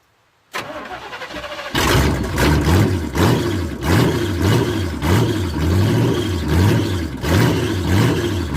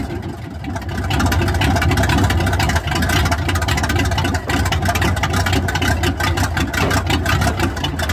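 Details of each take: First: Squarebody truck with Summit 1103 cam, Edelbrock Performer aluminum heads, Super Victor intake with 2-in spacer, 600 CFM carb: choppy lope with sharp puffing ticks each beat, sounds like a tractor; exhaust leak where header flanges rotted off at cylinder head. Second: Squarebody truck small-block V8, after headers installed with silicone as gasket: even, steady engine note, quiet up front by the fan with no puffing or ticking; header flange exhaust leak fixed, running normally.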